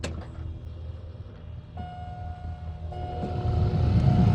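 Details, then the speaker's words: 2005 GMC Yukon after blower motor resistor replacement: faint electric whir starts and grows stronger over background; blower kicks on, speed controllable, running normally. "I don't know if you can hear that, but the blower kicked on and is running. And we can control the speed, which is a bonus."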